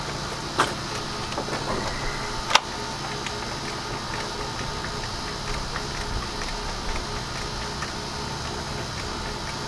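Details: Yamaha 9.9 hp outboard after replacing a cracked, dried-out carburetor diaphragm that was leaking gas heavily: runs at a steady, even note with light regular ticking and no stumbling, sounding healthy.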